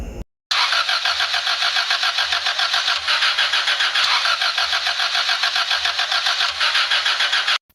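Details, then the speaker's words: Car cranking: steady starter whirr with rhythmic compression pulses, about three or four per second, for seven seconds, never catching; cranks but won't start. "start mo ayaw pong umandar ng sasakyan ni Don pips may lakad po sana kami kaso hindi natuloy tr mo pa Mukhang ayaw talaga umandar ah"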